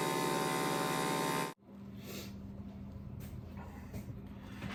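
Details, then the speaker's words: Garage air compressor: motor hums loudly, then cuts out, followed by short airy hisses. Air leaking at loose fittings that owner says need replacing, usually the one by the water separators. Air leak at loose fitting. "I just need to replace all my other fittings, like this one. Usually the one down by the water separators leaking a lot of air."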